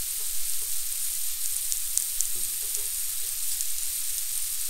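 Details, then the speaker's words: Steady high-pitched hiss with faint crackling sizzle: coil whine from Dell laptop power supply components, heard as a comparison for a 16-inch 2019 MacBook Pro's noises. "I was first introduced to the coil whine in laptops by a company called Dell, which is famous for producing ridiculously inexpensive equipment with amazing characteristics. And Dell computers sound like this."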